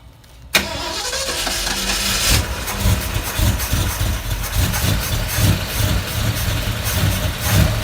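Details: 1972 Ford Bronco after top-end engine rebuild, rewiring and brake work, first startup: brief crank, catches at once and settles into a steady, even, deep V8 idle with no knocks or misses; charging at 14 volts.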